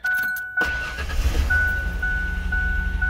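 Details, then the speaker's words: 1995–96 Ford Explorer, previously hard cold start with long cranks and stalling, after idle air control valve replacement: door chime, then engine catches immediately and settles to steady idle; normal cold start. "yeah sounds good so no more styling no more trouble no more long cranks"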